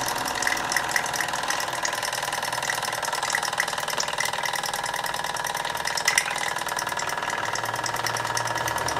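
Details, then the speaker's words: 1960s Mamod SR1 toy steam roller running: fast even chuffing with wet gurgling, crackly edge; water collecting in the exhaust chimney, suspected of slightly holding the engine back; gurgling exhaust. "Sounds like there's quite a bit of water, exhaust water in the chimney. Seems to be bubbling quite nicely, which may be holding the back slightly, I suppose."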